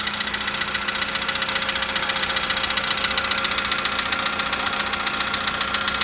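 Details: 2013 VW Polo Sedan, 65,000 km, cold idle: sharp, even knocking about four times a second over a steady idle; mechanical knock, cause unclear.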